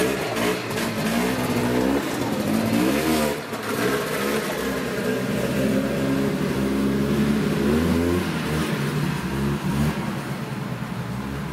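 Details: Yamaha Bravo 250 snowmobile two-stroke, after cleaning Keihin carburetor that had bogged on throttle once warm: revs climb and fall cleanly with throttle, no stumble or flat spot; normal acceleration.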